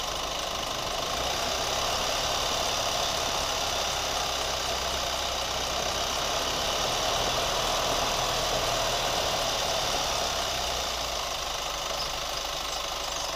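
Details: New Chevy Colorado at steady idle: light quick ticking three to four times a second over the engine; cause unclear.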